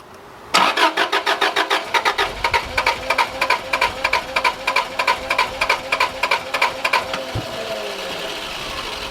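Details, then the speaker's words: Subaru RS Liberty AWD turbo manual, parked 10 years, fuel pump primed: steady cranking about three compression pulses a second for six seconds, never fires; owner unsure, suspects fuel delivery or blocked injectors. "it sounds like it's starting to unblock the injectors or something I don't know"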